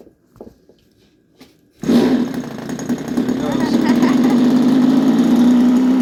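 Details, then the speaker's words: Dumas big swamp boat with Royal .46 model engine, apparently first-ever run after warming with heat gun because it was hard to start; catches and runs at steady, loud buzzing drone climbing slightly as it warms – clean run. "it started too you hear it yeah pretty sure this engine has never been ran by the looks of it little bit of heat helps a lot"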